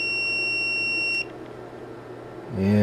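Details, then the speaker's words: Hioki DT4252 multimeter after transient surge testing, leads shorted on the continuity test. A steady high beep lasting just over a second, then a clean cutoff: normal continuity beep. "let's try a continuity test no problems at all"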